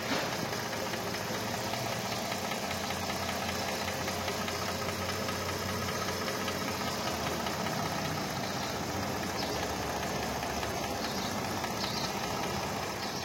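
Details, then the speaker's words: Mercedes-Benz AMG with 6-cylinder V6 engine (663), complaint of misfire and no pickup: uneven idle with irregular stumbles and shaky beat; three coils on one bank dead, nearly all bad, a removed spark plug also bad; all six coils and plugs to be replaced. "তো friends আমরা check করে দেখলাম যে coil খারাপ আছে এটার তিনটা একটা হেডের পুরা কাজ করতেছে না সবগুলা কয়েল প্রায় খারাপ সবগুলোই চেঞ্জ করতে হবে এখানে আর আমরা একটা প্লাগ খুলে দেখলাম প্লাগ খুলে দেখলাম প্লাগও খারাপ আছে"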